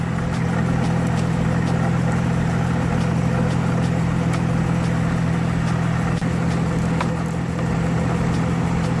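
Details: 2003 GMC Envoy 4.2 L at about 40 degrees after installing the correct replacement alternator: steady, even idle hum with no knocks, whine or misses; running smoothly and charging normally.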